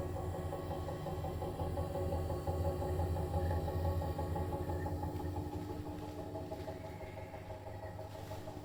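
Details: Brand-new Bosch Serie 4 EcoSilence washer, technician-installed, transit screws removed, balanced: spin from about 400 to 1400 rpm, loaded or empty, steady deep droning hum with rough rumble, loud drum/spindle noise while brushless motor quiet; cause unclear.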